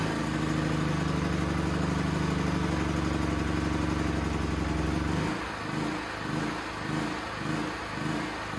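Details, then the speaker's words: Used Champion C49055 4.5–5.5 kW generator, Honda GX270-clone engine converted to propane with a new tri-fuel carburetor: after idle adjustment, speed rises and falls about once a second in a regular hunting rhythm; engine surging, still needs tuning. "i adjusted the idle for the load speed here you can turn up and down the rpm um it's bouncing around"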